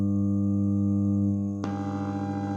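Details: Bluetooth speaker with crackling/buzzing problem: steady low buzzing hum with stacked overtones that shifts and roughens partway through, pointing to a faulty internal connection in the speaker.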